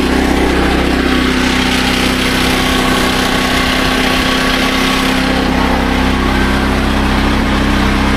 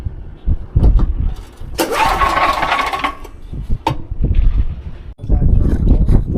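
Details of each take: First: SDMO 5000W generator with a Briggs & Stratton engine (about 18 hp), after restoration, load test with about a 1500 W heater and a light: steady buzzing note holding speed, no hunting or surging; normal under load. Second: SDMO 5000W generator, Briggs & Stratton engine (about 18 hp), first pull-start attempt with almost zero fuel in tank. Pull-start thumps, engine catches about a second with rough roar then dies; stall from fuel starvation.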